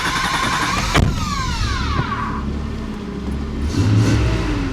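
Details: Flood-damaged Nissan 300ZX test drive after clutch and brake work: revs climb cleanly, drop at a gear change and pull again with no knocks; normal engine under acceleration.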